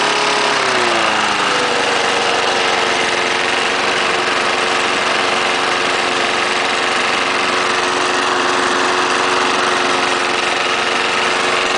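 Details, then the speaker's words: Trash-picked 1974 Snapper mower, running after adding new gas to bone-dry tank, air cleaner off: pitch climbs as throttle opens, then steady even buzz, no stumbling or stalling; normal running. "yeah that first start I did started right out it was cold I did not start it prior to this video"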